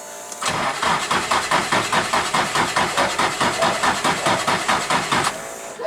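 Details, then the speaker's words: Nissan 180SX drift car, jumped on a fresh 12 V battery with crank fuel turned up: starter churns about 2.5 turns/s for five seconds without catching; cranks, no start, apparently no spark. "i was so hopeful that was it just not getting any spark bugger"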